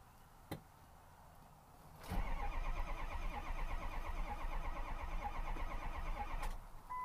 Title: 05 Ford F250 6.0 crank no start.